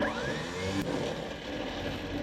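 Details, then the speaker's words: 1972 Malibu after sitting 25 years, starter jumped with a wire: free high whir of the starter spinning alone, pulley not turning, drive not kicking out; starter drive not engaging, starter sounds loose and worn, and the wire gets hot. "Oh, we got no startage. That's great. The starter is no good. Look, watch the pulley. Nothing. It ain't kicking out at all."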